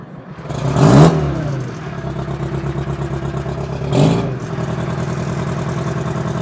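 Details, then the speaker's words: Old Ruston-Bucyrus/Bucyrus-Erie Dynahoe 190 backhoe saved from scrap, two-stroke Detroit diesel after a perished, leaking part was replaced: steady busy clatter at idle with two quick throttle blips that rise and settle cleanly; normal running and revving. "you guys can hear it once more. Hear that sweet sound of that 2-stroke Detroit."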